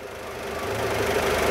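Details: Peugeot 206, warm after a timing belt kit and coolant replacement, with the radiator and return hose circulating fine: a smooth, even idle hum with a steady low tone and no tapping or knock; healthy.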